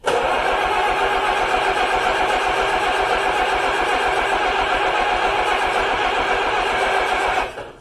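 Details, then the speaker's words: 1953 Allis Chalmers WD45 tractor, just retimed, first start attempt after a long rebuild: the starter grinds steadily for about seven seconds with even churning and no firing. A fuel supply problem is suspected. "Kind of anticlimactic because it's not like I ran forward much, but I kept fighting that fuel issue."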